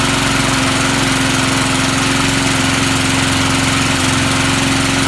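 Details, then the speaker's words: Vintage Sears/Montgomery Ward push mower, likely stored unused since a winter, started right up with nothing added: steady, even putter, no misses or knocks, smooth; normal running. "can't believe that's the smoothness I haven't seen one of these companies run"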